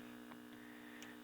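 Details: Kerenola Trav-Ler AM tube radio, trying filter capacitor values across the supply (22 µF clearly wrong, yellow 12 µF tried): steady low buzz under faint clicks, unchanged; hum persists, correct values unknown.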